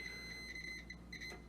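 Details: Float switch continuity test on a rooftop AC unit's condensate line: thin, high, steady beep chirping on and off for about a second as the meter shows the switch closing the common loop, working normally.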